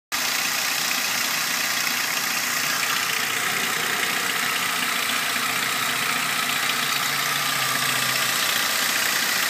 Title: Ford ranger ticking sound